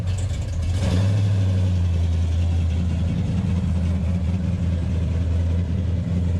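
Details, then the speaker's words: 1968 Dodge Charger 426 Hemi, driving off: deep, steady V8 burble holding an even idle with no misses or knocks, running much better and cleanly. "Oh what the hell was that man it's running a lot better"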